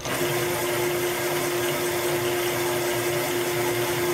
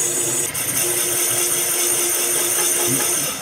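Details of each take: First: Honda CB750 cylinder being bored from 61mm to 65.5mm (750 to 850cc) on a Cycle Cyl boring bar, limit switch released to cut the last bit; steady even cutter-motor hum without chatter, bore cut finishing cleanly and normally. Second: Boring bar enlarging a Honda CB750 cylinder from 61 mm to 65.5 mm (850cc big bore): over the cutting hiss a steady mid-pitched squeal holds about two seconds then fades; tool chatter, cured by briefly switching off to change speed.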